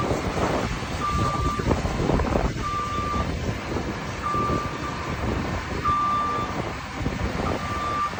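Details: Lefort Trax making a weird noise: a tone near 1 kHz repeats about every 1.6 seconds over the engine and clatter; cause unknown.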